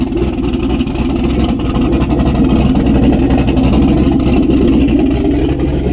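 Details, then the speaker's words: Turbo LS V8 swapped Miata on first start with the turbo fitted, running the old tune with the O2 sensor unplugged and an open exhaust at the downpipes. Loud V8 bark with lumpy, uneven pulses at steady idle. Rough running, likely from the old tune and unplugged O2 sensor. "still on the old tune O2 sensor is not hooked up so it's probably not going to run that great but let's see if we can get some noises out of this thing"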